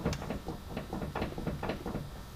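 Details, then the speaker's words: Oldsmobile Bravada front wheel gripped at 9 and 3 o'clock and rocked side to side gives sharp clicks about three per second, indicating play in the steering linkage, likely a bad tie rod end. "Now if you grab it at 9 o'clock and 3 o'clock and you do the same thing, that could indicate a bad tie rod. I don't know if you can hear that on camera, the clicking."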